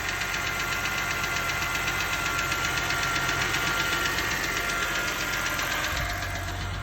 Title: BMW 328ix- Rod knock?